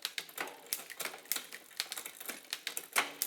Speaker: Yeah. Well, see that skip? A little bit. So now I got a racket there. So now I'm going to shift barrel until that guy's quiet.